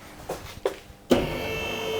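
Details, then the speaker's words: Tesla Model 3, car lifted, rear suspension moved up and down: light knocks, a thud, then a drawn-out squeaky creak. Owner reports intermittent creaking at low speed, over bumps and in corners, plus vague handling. Suspected cause is the rear upper fore link sliding out of position, unconfirmed. "Sieltä kuuluu semmonen aina toisinaan taas sitten ei."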